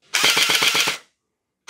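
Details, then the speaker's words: Splatrball gel blaster on full auto after all-metal gear upgrade: rapid, even clacks about eight a second, stops cleanly; normal full-auto firing. "So you can hear the motor sound changes as you adjust the screw. I can hear a sound like it slows down when I pull the motor away and speeds up when I push it in, so I suspect it's better when it's pushed in further."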